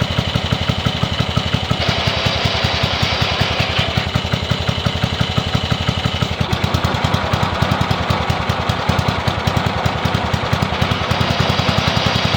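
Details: Yardman (MTD) riding mower engine after removing redundant safety wiring and reconnecting kill switch wire: even steady putter at constant speed, no misses, knocks or surging; runs smoothly.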